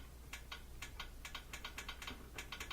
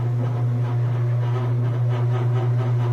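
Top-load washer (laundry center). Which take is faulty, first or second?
first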